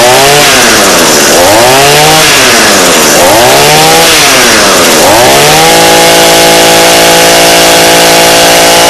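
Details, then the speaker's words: Two-stroke engine with non-adjustable carb being adjusted: revs climb and drop a few times, then hold flat out with slight rich burble, four-stroking (breaking up) at full throttle as intended when set slightly rich; healthy. "okay so that sounds pretty good I'm not gonna lie um there's something called for cycling it where kind of sounds like you it's breaking up and it's doing that pretty good"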